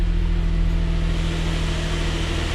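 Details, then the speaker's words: 2005 Xterra VQ40 4.0L V6 swapped into a 2008 manual 4x4 Frontier, first start, no coolant yet, airbox temporarily fitted, not in gear: smooth, even low hum with a steady firing beat and no knocks or ticks. Normal idle. "Probably don't want to leave it running long because I don't have any water in it. All right. Sounds good, not in gear."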